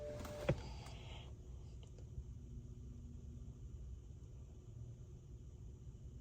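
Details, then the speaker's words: 2009 BMW 328i after water pump and thermostat replacement (codes: electric water pump shut off, speed difference); key in accessory, blower on highest, bleeding air: pump clicks on, then a quiet steady low hum without rattle or surging, normal electric coolant pump operation. "I can hear the pump come on okay I think we're going to just leave it alone for 10 minutes it should cycle through yeah I can hear it there you go"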